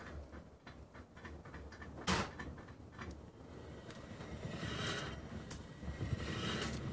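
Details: BMW E39 528i (2.8 L) driving: a sharp clunk rises from the low rumble. Holding the driveshaft stopped the noise, pointing to the driveshaft rather than the CV joints. Exhaust removed for the sound test.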